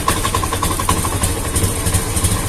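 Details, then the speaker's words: Honda Beat FI scooter with new fuel pump assembly: idles normally, but on sudden throttle it sounds rough and stumbling, hesitating and empty instead of rising cleanly; weak fuel pressure. "Nah kalau untuk hidup hidup normal ya cuman kalau gas kita bejek secara spontan nanti dia ee kerasa ya tuh tuh kosong"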